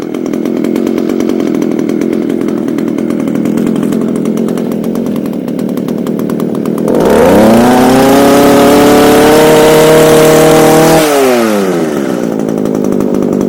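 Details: Echo HC2000 hedge trimmer, a garbage find with carb adjusters removed, cold-started after primer bulb replacement: buzzy two-stroke idle, then a clean climb to a steady high whine and back down. It smokes from a poor oil mix but runs and revs normally.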